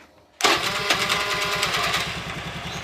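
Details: Honda Vario scooter whose starter only clicked as if the battery were flat, with the starter relay jumpered straight from the starter button: the engine fires cleanly into an even, quick idle with no clicking or struggle; normal electric start.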